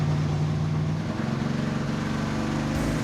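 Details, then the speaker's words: General Mayhem Dodge Charger with a carbureted 440 V8, about 450 miles into a road trip near Steamboat Springs, Colorado: lumpy, uneven, stumbling beat with no steady rhythm; rough running engine, cause not yet found. "Woo, that is bad. The car's running terrible, but we have a plan coming tomorrow."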